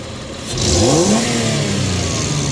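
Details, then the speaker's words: 2000 Toyota Tacoma 3.4 with P0171 system-too-lean bank 1 and lack of power at high speed, quick throttle snap while scoping MAF signal (peaked 4.04 V): rev from idle climbs cleanly and settles evenly, no stumble or misfire; normal throttle response, MAF suspected dirty. "So this one went to 4.04. That's a quick snap, and I'm gonna do a slow snap."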